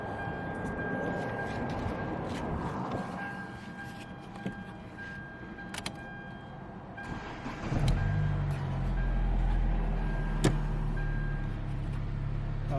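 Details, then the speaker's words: 2014 Hyundai Elantra that had a no-crank, no-start complaint, after repair: clicks, then engine catches in about eight seconds and settles into a steady, even idle, starting and running fine. "सामने गाड़ी दोस्तों start है है और हाथ self start हो रही है"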